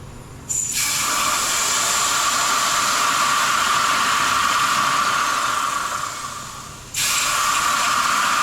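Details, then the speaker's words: 1984 Bertone Fiat X1/9 after roadside catastrophic failure, cooling system pressure-tested with air at 100 PSI: sharp steady hiss of escaping air, briefly cut then returning; huge leak. "that's a huge that's a huge leak I don't know what happened"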